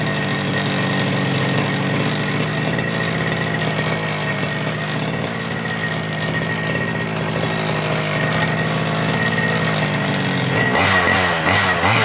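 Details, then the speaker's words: FG Marder petrol RC car, small two-stroke, run the day before, started without choke after a couple of primes, after front-end bolt fix and brake/throttle linkage adjustment: high buzzy note runs fairly steady then picks up, pulls cleanly; healthy normal running. "I'd say that's bloody quality I don't re you can get better than that I reckon that's absolutely mint"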